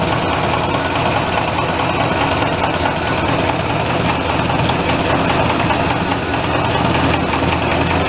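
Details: Massey tractor diesel after fuel filter change, oil bath air filter cleaning and replacing a cracked leaking line: even, steady idle clatter with no misses or odd knocks; runs normally.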